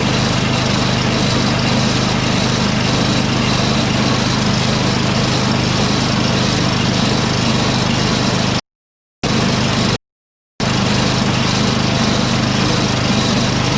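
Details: Snowblower engine from an 8HP Briggs swap job (Toro 38150 onto Craftsman 827), electric-started, choked then set to half choke with the drive stuck in second gear: a fast, even single-cylinder chug with no misses; engine runs fine, but the transmission is faulty.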